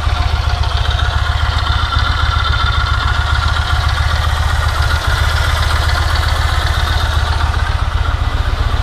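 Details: Yamaha MT-01 twin: even, loping idle thump around 220 beats a minute with light valve clatter on top; noise that sounds alarming but is normal for this engine at idle.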